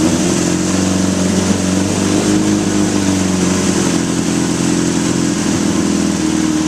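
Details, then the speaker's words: 1981 Honda CB750 K1 that bogs and stutters, during a spray test at idle: the steady four-cylinder burble rises briefly when sprayed. Vacuum leaks are found at the carb boots and throttle shafts. "right off the bat I sprayed right here and you notice that it revved up any idle change whether it's lower or higher indicates a vacuum leak"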